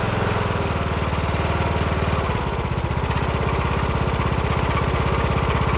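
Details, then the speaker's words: Engine loose on its four bottom mounting bolts, rocking front to back when started, hood off: heavy even thumping at about three beats a second over the engine note, a hard shake. "go so as you hear that that doesn't sound good to some people it sounds like the engine's completely shot but it's not the engine is just loose there are four bolts on the bottom of the engine that hold it on the motor"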